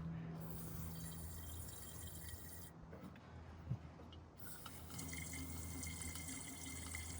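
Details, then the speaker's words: Abandoned 1976 Ford F100 Ranger engine sitting for a long time, spark plug out, penetrating spray into bore; sharp hiss turns to wet splashing, showing water standing in the cylinder; owner thinks the motor is probably shot. "It's spraying on top of water. But that whole Yeah, that whole cylinder sitting on sitting in the water."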